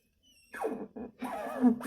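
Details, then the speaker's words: 2007 Honda Civic suspension: short groaning creaks with sliding, falling pitch when the shock is worked by hand; creak comes from the shock absorber, not the bearing. "Ó. Então vem do amortecedor."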